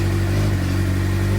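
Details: 2007 Suzuki GSX-R600 after CDI/ECU replacement, jumper cables just disconnected, owner suspects failing stator: steady even engine note holding without stumbling; keeps running cleanly on its own.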